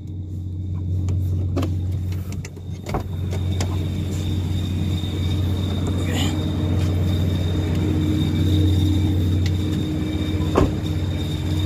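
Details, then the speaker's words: Car idling: low steady rumble with faint intermittent whistle that disappears when clutch pedal is pressed; loose clutch cable, fixed by tightening/adjusting the cable. "Kailangan lang palang higpitan yung clutch cable natin, so para mawala yung whistling sound niya."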